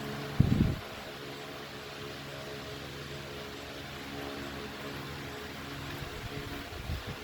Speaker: The breeze that this thing throws off is is amazing. This thing is really powerful.